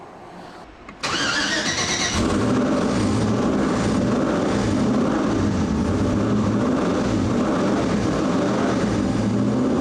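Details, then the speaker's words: Audi Quattro race car with 4-turbo LS swap and AWD, first start after an engine-hoist rebuild: short crank, catches cleanly, even steady beat with light throttle blips while warming up; normal idle. "So far, so good. All right. We'll throttle the pedal until it warms up, and then it idles."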